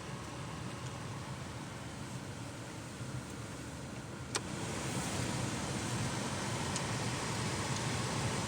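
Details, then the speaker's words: 2014 Volkswagen Jetta after replacing blower motor resistor (heat previously worked only on setting 4): steady, even air rush stepping up from speed 1 to 2, no rattles or squeal; blower runs normally. "Oh yeah. You hear it? It's working on 1. It's working on 2."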